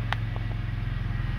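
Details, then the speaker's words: BMW that started then died, fixed by setting the Valvetronic actuator back 14 turns with a 4 mm Allen tool and leaving its connector unplugged: steady, evenly pulsing low idle with no stumbles or dropouts, no limp mode; normal idle. "see the problem is fixed if this works for you guys please comment no limp modes or anything god just runs fine now"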